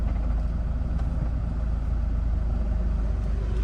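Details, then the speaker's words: 2010 Land Rover Defender 110 2.4 TDCi at start-up: warning lights come on and go out as they should, with aircon noise behind on a warm day. Steady, even diesel idle with no clutch rattle, and the gear lever stays still. Normal diesel idle. "Okay, quick video of start up and idling on this Defender. All the warning lights come on as they should."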